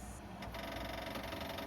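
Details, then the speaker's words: 1956 International S-160 4x4 with ignition on, engine off, while setting timing; fast, even ticking buzz from the electric fuel pump, which shares the ignition lug. Normal pump running. "Now, one bummer about this is that the lug for the ignition is also on the lug of the fuel pump. So, we're going to have to listen to the fuel pump a little bit, but it shouldn't be too big of a deal."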